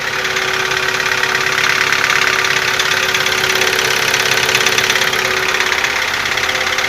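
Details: Nissan QG15DE cold start: sharp, fast metallic ticking about three per second over the idle, growing stronger; owner says the knock eases after warm-up but a tick remains; source unknown.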